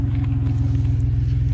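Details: 1990 Dodge Grand Caravan LE, earlier sticky-lifter noise now gone: smooth, even low rumble with a steady beat and no ticking; normal idle.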